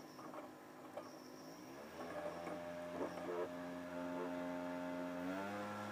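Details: Xbox 360 Slim playing an old game disc: a spinning whine climbing in pitch with slight grinding and quick bumps as the laser moves back and forth very fast; the DVD drive light is on.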